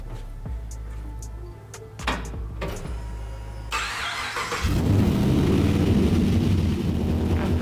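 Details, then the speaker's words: 1959 Chevy Apache pickup with LS3 V8, first key start after full custom rewiring, turbos not hooked up, fuel pressure just adjusted: several cranks and catches, then a steady deep even rumble with no misses or knocks; normal running. "That's one of those moments that I just, in a build, it's just so great to hear it run, to get that milestone under your belt."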